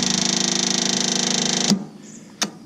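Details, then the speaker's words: Riding mower tractor, owner guesses an 18 hp Magnum engine: fast, buzzy, even chatter for under two seconds, then it cuts out without firing; cranking sounds wrong, owner questions whether the battery is good. "that doesn't sound right. So does this thing have a good battery in it?"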